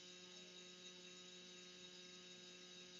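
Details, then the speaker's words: 2012 BMW F800 GS, ABS pump motor activated via Texa Navigator diagnostic tool during brake flush: steady electric whir and constant hum for a couple of seconds; pump motor working normally, ruling it out as the fault; focus is the bleeding procedure. "Okay, you can hear that it'll cut off by itself. Got it'll be on for a couple of seconds. You can hear the motor running."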